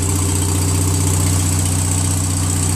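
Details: Toro Recycler 20068 22-inch personal pace mower with Briggs auto-choke air-vane carburetor, newly installed replacement carburetor, gearbox removed after transmission failure; smooth, even engine note holding steady with no knocks, misses or surging, engine running healthy.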